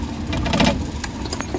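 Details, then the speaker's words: Suzuki Big Eye DA64/DA63 engine vibrating with AC on, no check engine light; uneven lumpy idle with irregular thumps and shake under air-conditioning load; misfire traced to oil inside the independent ignition coils, fixed. "so lakas na lagatak ayan oh kita niyo yung lagatak ng makina naka-aircon position"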